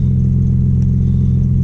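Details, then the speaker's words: Audi B5 S4 warming up after new 3 bar MAP sensor and tune flash, fuel trims good, known bad exhaust leak underneath. Deep, steady idle rumble with an even beat, no hunting or misfires; normal idle. "Trim's looking pretty good already. I don't really have to adjust much."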